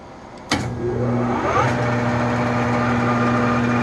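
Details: Enco 405Gx1000 (Chien Yeh CY405) lathe test run in forward after cleaning, high-speed contactor earlier cutting in and out: motor spins up to a steady even hum with light gear whir, no knocks; runs healthy.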